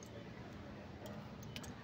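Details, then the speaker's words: Yamaha Mio Soul i125 won't start: a few sharp clicks with no cranking; first suspected carbon brushes, actually the starter wire too tight, stretched by engine movement and broken. "Akala ko Carbon brush kasi nagtiti yung starter gumagana Pag pinindot hindi nakikit clicking s na ito rin yung problema ngi 125 niyo yung wire dito sa starter"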